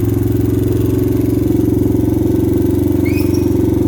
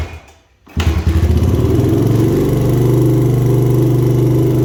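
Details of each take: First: 2000 Honda XR100 with a blown top end and low compression, started ice cold on the kickstarter: uneven single-cylinder idle with a light, steady metallic clatter on each firing beat, and a little smoky. Piston slap. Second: 2000 Honda XR100 fitted with a BBR 120 big bore kit after its top end was blown, first start after the rebuild: catches right away, steady even single-cylinder beat, clean blip; smokes, owner suspects only oil trapped in the exhaust.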